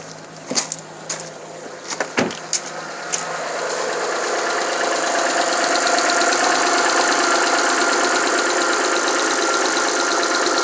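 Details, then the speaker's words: Alfa Romeo 156 Busso V6, first start after about three years sitting with fuel lines disconnected: a few clicks, then it catches on all six cylinders and settles to a steady, even idle with no miss; normal running. "this looks like okay engine is running for maybe three or four minutes and everything seems to be functional only some minor problems or minor minor faults"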